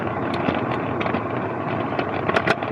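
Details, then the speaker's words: MicroGo M5 Pro electric scooter with a front hub motor, riding at a steady 15 mph in second speed over bumps: steady hum with sharp clattering bursts. The rider suspects the shock absorber, since nothing loose was found. "yeah that sound i think is a shock absorber because i couldn't find anything really loose when i was hearing the sound before"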